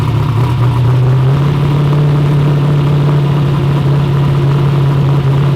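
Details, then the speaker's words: V8 first fire-up after build: deep steady burble, no misses, pops or backfires; earlier missing and backfiring caused by two swapped plug wires; normal running. "But it runs. You And guys want to hear it? Yeah, it sounds very good too."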